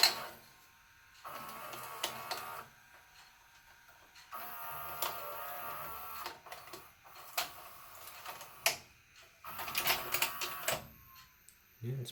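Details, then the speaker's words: JVC HR-S3500U Super-VHS VCR after cleaning and regreasing the loading mechanism: short bursts of soft whirring and light clicks as tape loads and fast-forwards, no squeal or grind; deck now runs more quietly. "it's it's more quiet now I'm wondering if that was the noise it was making"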